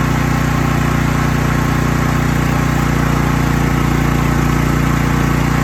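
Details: Troy-Bilt 8000 W electric-start generator after an ice-cold start on choke, unused since summer: steady even low drone at constant speed, smooth regular beat, no knocks or misses; healthy running.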